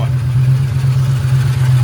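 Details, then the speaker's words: 1998 Ford Mustang GT 4.6 2V after intake manifold replacement: low uneven hunting idle, loud hum after throttle blip and barely idling; rough idle from faulty idle air control valve. "So, the car's idling, but it's not idling well."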